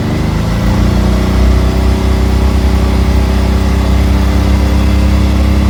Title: Can am misfire